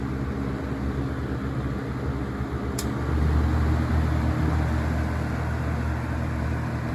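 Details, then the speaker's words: Vintage Coast-Air 12" box fan, guessed late 60s to early 70s, on high speed: steady even low hum with smooth airflow, low vibration, no rattle, ticking or bearing growl; running normally. "still pretty low vibration good air movement"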